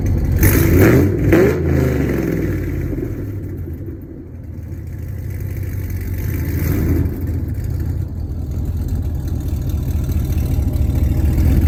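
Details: Hennessey Camaro V8 with long tube headers, at start and light revs after a wash: deep rumble with a puffing tick from an exhaust leak on the passenger side after the headers.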